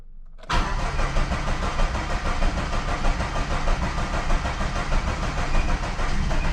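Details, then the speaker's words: 1995 Plymouth Neon, low mileage, sat long in a garage, fuel pump priming: steady crank with ragged, uneven puffs that never catch; owner says it's firing on one cylinder; crank, no start. "She wants to. She's gonna, y'all. She's gonna take a minute. She will, though. She's like firing on one cylinder."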